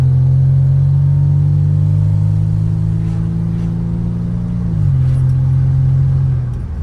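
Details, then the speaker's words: 1986 Nissan 300ZX automatic, on its first drive after ignition repairs: engine drone holds a near-steady pitch while pulling away, then dips suddenly as revs fail to match road speed. The automatic transmission is slipping. "Here we go. Oh, she slips."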